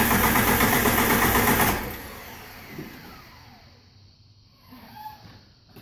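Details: TJ 4.0 no-start: even cranking at roughly two and a half beats a second for under two seconds, then it stops without catching; cranks, no start.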